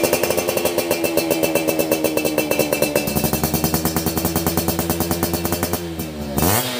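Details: Yamaha F1ZR 2000 two-stroke motorcycle before restoration, engine runs but bike not rideable: crisp even crackle with clean rapid firing, rising sharply on a quick throttle blip; engine sounds healthy.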